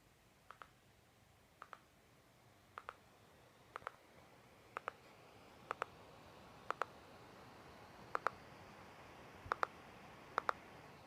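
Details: MSI GS60 Ghost Pro 3K laptop: sharp, light ticks about once a second, steady and regular over a quiet room, an unexplained ticking problem.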